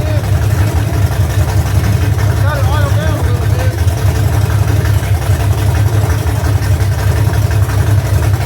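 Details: V8 truck after cam break-in, idle brought down lower, valve adjustment seems good: deep, choppy, lopey idle with heavy low rumble and even beat throughout; a healthy big-cam V8 that sounds like a pulling truck.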